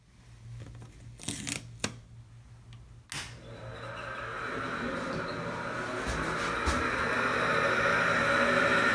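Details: Hitachi WK-10BH bathroom ventilation fan, before replacing the motor bearing (19 mm OD, 6 mm ID, 6 mm wide). A thin steady squeal rides over the hum from a seizing bearing; a month-old oiling fix failed in the humidity.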